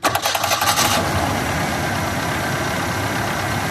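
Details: 1996 GMC Sonoma 2.2, just fitted with a new starter: rapid, sharp ticking clatter while cranking and catching, likened to a boat hitting something, then fading into a steady idle; cause unknown.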